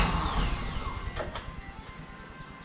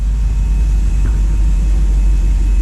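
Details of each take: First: 1955 Chevrolet Nomad with newly installed LS3 engine, first start in about two and a half years: quiet then catches into loud slightly lumpy idle; one cylinder not firing, owner suspects something unconnected. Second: LS3 V8 in a 1955 Chevy Nomad, first start since 2017, still cold, after an earlier miss cleared: deep, steady rumble with no misses or stumbles, idling slightly high as expected from the cold setting.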